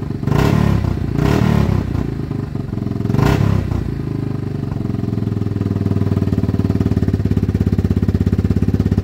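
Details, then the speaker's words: Yamaha Wolverine ATV, single cylinder, after cleaning the carb, fitting a new plug and checking the air filter. Its bogging was traced to a faulty handlebar switch, which has been unplugged. It revs up sharply and returns to an even idle with no bogging. "all righty so we figured out the bog issue it was one of these switches which was this switch right here"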